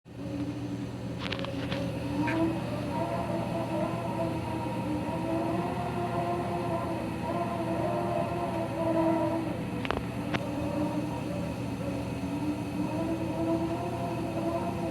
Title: RayPack 106A Spa Heater whining noise